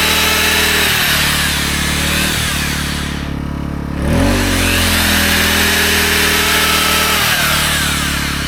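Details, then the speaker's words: AiVolt 1600W (1260 running watts) gas inverter generator powering a 6.5-amp belt sander. A steady drone holds engine speed firm with no surging or bogging, normal running under load. "All right. So, I run some belts in there. No problem."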